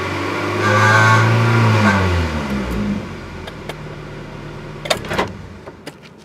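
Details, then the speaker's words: 1997 Acura Integra GSR: buzzy metallic rattle from about 3,000 to 3,500 rpm while revving, from the catalytic converter-to-header pipe joint; fixed with new flange gasket and welding. "okay so I'm gonna go all the way up to 3,000 and past 3000 rpms and you're gonna hear the rattle right there soon as it passes 3,000 rpms you can hear it"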